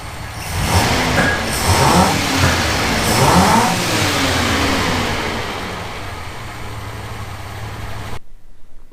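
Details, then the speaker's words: US 1976 Ford Capri Ghia, carburetted, after fixing carb fuel leaks; runs well but revs sound rough and raspy with puffing, popping from holes in the exhaust. "So she seems to run great, bar the holes in the exhaust, where you can hear her popping a bit."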